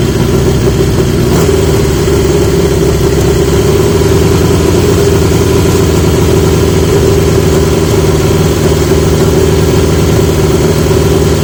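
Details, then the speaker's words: 1980 Yamaha XJ650 after fitting new (old) exhaust pipes; steady, even idle with deep smooth exhaust beat, no misses or knocks; much better, healthy running. "that doesn't sound like it's he's a should be living on a Speedway now that is so much better"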